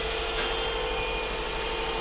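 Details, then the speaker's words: Subaru Forester with a replacement engine, swapped after the old one burned oil with low compression in all cylinders, first start: steady, even idle with faint accessory whir, no ticking or knocking; early chatter cleared once oil circulated, healthy. "well it runs you guys heard it it sounds good had a little bit of chatter you know how to get some oil running through things but sounds good now rev's nice"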